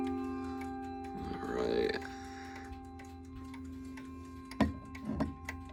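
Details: Ridgeway wall clock after overhaul and cleaning: clear ringing chimes then crisp ticks, hammers striking freely; earlier fault was oil or grease someone put on the hammer post, now healthy ticking and chiming.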